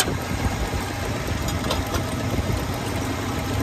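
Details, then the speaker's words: 1985 Ford Ranger with ongoing fuel starvation issues (fuel pump or fuel tank suspected), idling after restart: low, steady rumble with an even beat and no tapping or stumble; idle sounds healthy. "i mean it starts right up and it sounds pretty good"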